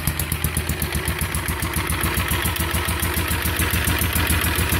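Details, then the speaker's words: Andover V32 V-twin four-stroke magneto-ignited APU with generator from a B-29, sped up: steady fast, slightly uneven hollow pulse; owner thinks it runs a little lean (no high-speed mixture screw), may drill jets, possibly why the exhaust glows red hot. "it sounds like it runs a little lean in there there's no high speed mixture screw"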